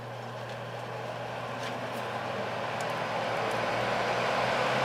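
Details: Air King 9218 fan after back cover repair, started on high, all speeds working: steady even hum and airy rush build smoothly with no rattle or scrape; running healthy.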